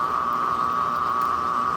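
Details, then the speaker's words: Worn washing machine drain pump, somewhat used, pumping water out before the spin cycle: a steady, even high-pitched whir with no knocks or grinding, a bit louder without water; normal for this pump. "esse barulho que vocês estão ouvindo a princípio é bomba de água ela já tá com um tempinho de uso também sem água ela faz um pouquinho mais de barulho normal para ela"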